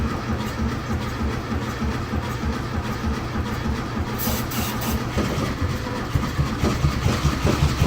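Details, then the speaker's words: 1971 VW Beetle after fuel priming: slow, uneven cranking churn that never catches. The air-cooled engine won't start because of a broken carburetor; no-start from a faulty carburetor. "we're fighting this whole time over a carburetor it's freaking two bolts yes not alone by anything we've been fighting a broken carburetor"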